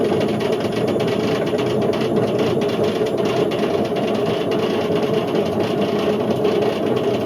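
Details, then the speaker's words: Indesit IWC71453 7 kg washing machine on a fast test spin aiming for 1400 rpm: loud steady roar with hard droning hum; drum bearings completely gone, drum eating into the plastic tub. "So the bearings have completely gone on this. To the point where the drum's just eating away at the plastic, and you know, you can't really do much of this."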